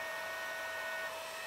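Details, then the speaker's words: Fostex D1624 hard disk recorder cooling fan: steady high hum with a clear ringing tone over the airflow; the fan touching the case makes the chassis resonate like an acoustic guitar, to be damped with felt pads. "that's the racket it makes I think it's a lot better than always got these dampened in behind here now"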